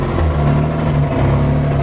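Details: Mazda RX-8 rotary engine idling and revving: a light metallic rattle over the hum, mostly early in the clip. It is a rattling noise from the engine, source unclear.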